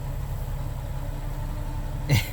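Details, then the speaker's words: Nissan 370Z Nismo, long crank and low power, no check engine light, fuel pump cycling only about one second with no gauge pressure: low lumpy idle that dips and stumbles; suspected weak pump fuel starvation. "So it's running, but you can tell it's not running great."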